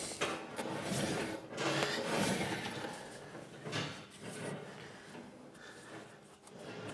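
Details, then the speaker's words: Amphicar on a lift with handbrake released, wheel spun by hand while checking bearing play; soft scraping rub about twice a second, possibly rubbing on the handbrake, with play suspected in the wheel bearing; cause not confirmed. "it might be rubbing on the handbrake a bit there right it's giving us that noise so definitely got play there haven't we"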